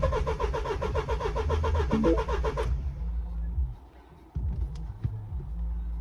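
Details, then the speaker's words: Engine cranks about three seconds at roughly four turns a second but never fires on a 15-year-old MINI Countryman off the road for months, after a fuse box repair; no fuel pump priming heard. Owner suspects poor fuse box solders or the immobilizer. "I mean, I'm probably gonna order a new one because uh well, secondhand because I don't think that my solders were that good and I can't hear the fuel pump priming either."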